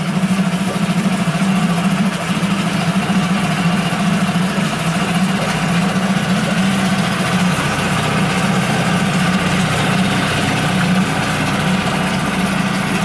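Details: New Yamaha 4-stroke 5hp (6hp) outboard on its first start from an external tank, at idle with the revs wandering. Smooth, even low hum with no knocks or rattles. No extraneous sounds; normal idle.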